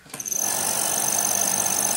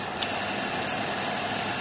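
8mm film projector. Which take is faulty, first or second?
first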